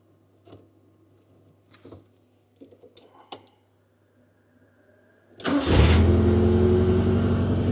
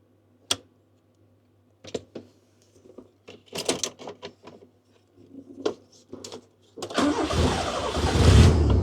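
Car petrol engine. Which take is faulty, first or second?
second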